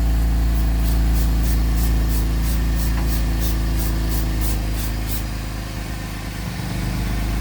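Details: Gen2 Chevrolet Traverse after repairing an exhaust leak between resonator and muffler with new nuts, bolts and gasket: steady, even low idle, smooth exhaust note, no ticking or puffing; leak gone, running cleanly.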